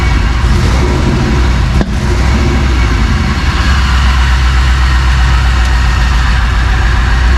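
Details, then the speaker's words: 1999 Vortec 454 7.4 V8 swapped into a 1985 Chevrolet C10, first start with oil and antifreeze filled: fires after a short crank and settles into a deep, steady, even idle with no knocks or misses; normal idle. "so let's start it up uh okay and we'll let it run a little bit it has oil it has antifreeze so we're good on that here we go"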